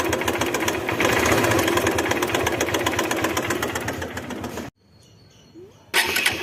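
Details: Motorcycle engine at idle with rapid, fairly regular ticking before a brief cut-out; abnormal engine noise, cause not confirmed.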